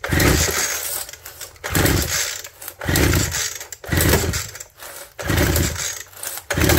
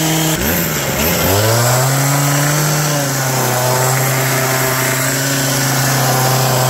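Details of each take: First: Abandoned two-stroke hedge trimmer with crusty fuel lines, ether sprayed into the plug hole before pull-starting: several short bursts, then catches and buzzes a couple of seconds before dying, firing on ether only; fuel line replacement still needed. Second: Old two-stroke hedge trimmer revived with on-hand parts, new cut air filter fitted, mixture screws not yet reset, cutting bush: revs climb quickly then hold steady high drone without stumbling; noisy, vibrates a lot, dull blade, pulling cleanly.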